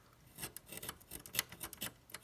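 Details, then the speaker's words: Drake R4B receiver with a scratchy band switch: dry scraping rasps and clicks come in bursts as the knob turns; a dirty, worn switch needing cleaning. "Oh yeah, and the switch here is kind of scrapey. Here, listen to this."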